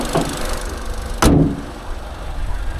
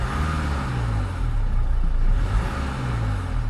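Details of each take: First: Auction car inspection with the bonnet open: the engine shows a low, steady idle with an even beat and one door thud midway. It runs smoothly, with original battery, coolant present and no usual housing leaks. Normal idle. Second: Manual, two-wheel-drive auction car with a later 2-litre Ingenium diesel revved up and down; light metallic rattle as revs rise and fall, especially coming on and off revs, a timing chain rattle, so it needs a chain.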